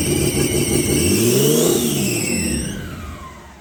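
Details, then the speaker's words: Nissan RB20 engine started for the first time in 5 years after rebuilding the car, no exhaust fitted, indoors and smoky: very loud raw revs rising and falling with even firing, no misfire; runs normally, just unsilenced. "Oh my god. This is gonna be so loud. Wow! Holy shit, it ran. It fucking ran, man."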